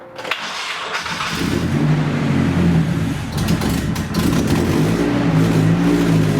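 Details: Nissan 240SX first start in two years after rebuild onto a new chassis: engine catches and runs evenly for about a second, then falls into an uneven, loping idle that surges and sags; cause not yet known.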